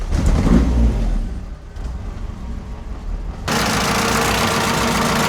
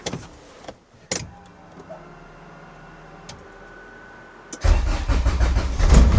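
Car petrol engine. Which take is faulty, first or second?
second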